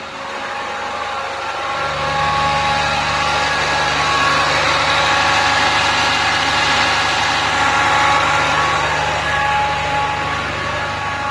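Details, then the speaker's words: Land Rover Discovery 3 (LR3) 2.7 TDV6 diesel held at 2,000 rpm or above, where the noise appears: a steady high whine over the engine note from a failing A/C compressor. "just adjust that you can hear that now a whining noise"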